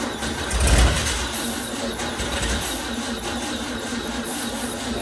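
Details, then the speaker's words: 1961 VW Beetle barn find, first start after sitting for years: loud raw bark as it catches, then harsh unmuffled rasp, essentially straight pipe with no muffler. "Sounded mean though. Oh, it's like straight pipe, essentially."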